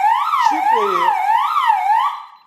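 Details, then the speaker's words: DSC alarm system armed after its 60-second exit delay; a delayed zone opened and the entry delay ran out before the code was entered: loud warbling siren sweeping about twice a second, then cutting off. "bu giriş suresi bitmeden şifreyi tuşla mamız gerekiyor Eğer süre yetişemezsek alarm ötmeye başlayacak"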